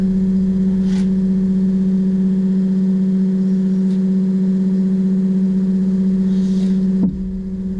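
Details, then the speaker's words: Excursion/Bison 24V 86lb-thrust trolling motor after brush holder replacement, bench-tested while changing speed: clean steady hum dropping smoothly at speed changes, no grinding or sparking; normal motor run. "So hopefully you can hear the motor. Listen. It's speeding up. So we'll pass back to centre again, it'll slow down."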